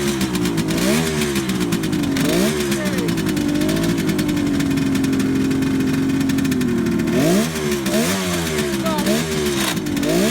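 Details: 1971 Kawasaki H1 500 two-stroke triple with rebuilt engine, started cold on choke: revs with uneven lumpy beat; center cylinder not firing, no spark, traced to ignition.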